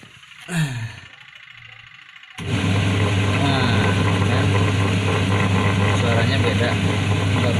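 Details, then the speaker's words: Washing machine running after fixing worn, loose drive belt that caused squealing noise: steady, even low hum with no squeal or slap; belt now tight and back to normal. "Oh, kan kencang ya, jadi pasti ini normal kembali itu."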